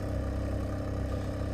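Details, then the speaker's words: Car that sat since October, previously misfiring and sputtering, now after plug cleaning and Seafoam idles evenly and steadily with smooth low rumble, no stumbles; running good. "see God that smells lovely yep that's high mileage seafoam for you hey it's running good"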